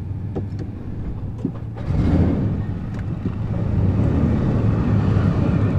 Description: Truck is making weird rumble noises still.